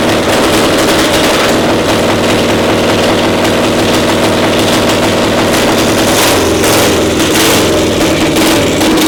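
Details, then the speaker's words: Twin-cylinder pony (starting) motor of a Caterpillar Diesel 70 after the cap was replaced: loud, steady, even rapid firing with no misses or stumbles; running smoothly on both cylinders. "The analysis on this one now that you switched that cap? Runs perfect."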